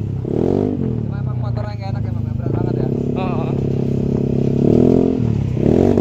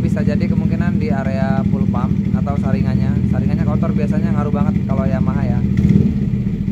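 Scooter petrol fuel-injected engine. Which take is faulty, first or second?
second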